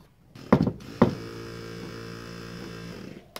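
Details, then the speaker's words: XC Ford Fairmont GXL 351 restoration, power window motor on the bench: a couple of sharp clunks, then a rough, uneven buzzing whirr; this motor is noisy, unlike the quiet driver's one, and may be disassembled to find out why. "Bit noisy, this one. So it might be worth pulling them apart and having a look."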